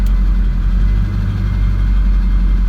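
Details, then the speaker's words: 2002 Ford F350, 7.3 Powerstroke diesel, TS Performance 6-position chip switched from 140 to the 100 hp tune, slight idle difference; steady, even smooth low rumble with no knocks or misses; normal idle. "If I switch it to the 100 horsepower tune, you can hear a little bit difference there."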